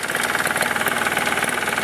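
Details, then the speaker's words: 1987 Briggs & Stratton 2-stroke 4 hp Super Bagger 21-inch mower: slow, even ticking low idle with steady firing pulses, no misses or knocks; normal smooth low idle. "this thing you could let it idle like that push it around i've actually pushed it around on gravel and was it idling like this it doesn't pick up any dirt stones dust nothing"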